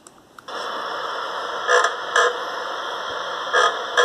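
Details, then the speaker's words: 2012 Chevrolet Sail: short paired squeaky creaks as the clutch pedal is pressed and released. Cause is worn upper and lower plastic bushings at the clutch pedal pivot/fork, which were replaced. "yo anteriormente había subido un vídeo de una falla que tenía en mi auto que era cuando apretaba el pedal de embrague ya al apretarlo emitiendo un ruido molesto"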